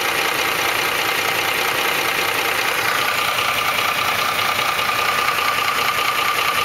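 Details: 2004 Ford F150 5.4L 3V at steady idle: rattly tick-knock about 2.5 per second with thin whine behind it, timing chains slapping the block from failed tensioners; fixed by replacing cam phasers, timing chains and tensioners.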